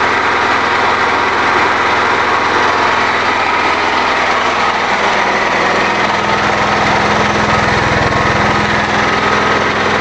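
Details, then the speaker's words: New engine on a wood-gas generator, about 10 hours run, under load; the owner says it is hard to start. Steady, even drone at constant speed with no misses or knocks, and exhaust clean enough to have no smell. Normal running. "no smell the exhaust if I'm Reon it's running so cleanly it can't smell it that fuel Dy does a good job for"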